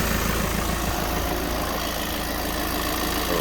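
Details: 2016-17 VW Transporter T6 2.0 diesel just after full service and fuel filter bleeding: smooth, even idle with soft steady clatter, no misses or knocks; normal healthy idle.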